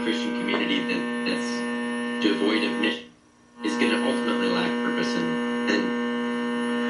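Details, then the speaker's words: Homebuilt small-signal RF amplifier with tuned front end and detector, receiving through a hand-held antenna: a steady low mains hum buzzes under the audio output throughout; the builder suspects nearby LED lights, not confirmed. "got a little bit of a hum in there. Because you're missing. It's kind of hard to get rid of with these new these new LED lights."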